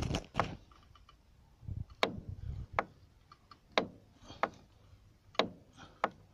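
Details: Renault Megane 2: knock near the strut top mount bearing area when the wheel is turned fully to the left, irregular sharp clunks about once a second; the knocking turned out to be a plastic part.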